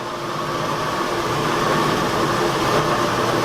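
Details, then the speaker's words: 1972 Ford F100 Sport Custom at normal idle after valve work, plugs, plug wires and cleaned carb (mixture screws 1 1/4 turns out); steady even idle, soft hiss, no valve train tick or clatter, no blue smoke as before. "I hear no valve train noise at all on this side. Do you hear anything on that side? That sounds awesome, dude."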